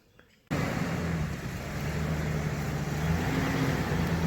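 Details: 2003 Ford Ranger test drive after passenger-side front wheel hub replacement: steady low road and engine rumble with no growl, hum or whir from the wheel; the new hub runs quiet.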